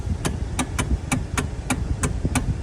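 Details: Kia with electric power steering: sharp, dry knocks about three a second as the steering wheel turns, from a worn steering coupler.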